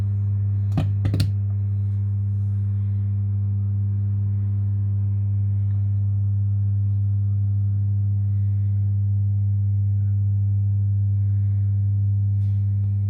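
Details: Mackie CR4 Creative Reference multimedia monitor: a constant low mains-type hum with a buzzy edge and steady pitch; the powered speaker buzzes, cause unknown.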